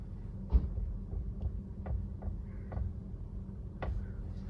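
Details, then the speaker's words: 2017 Maruti Baleno, wheel turned while driving: soft irregular ticks about two per second over a low hum, with steering tight left and right; fault in the electric steering column assembly. "ആ ബലൂണിൽ complaint എന്താണെന്ന് വെച്ചുകഴിഞ്ഞിട്ടുണ്ടെങ്കിൽ ഒരു സ്റ്റിയറിങ്ങിന് ഒരു ചിക്ക് ചിക്ക് ഒരു noise ആണ്"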